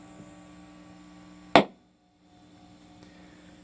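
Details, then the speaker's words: Brand-new Fender American Elite Strat through a small 10-watt amp: quiet hum, then one sharp loud pop as the pickup selector moves into position 2 with S1 on. A factory wiring defect. "And I don't know if it sounds exactly like it does in real life, but it's similar to maybe powering on a mixer while powered speakers are already powered on. You get that electrical, circuit being connected sort of sound."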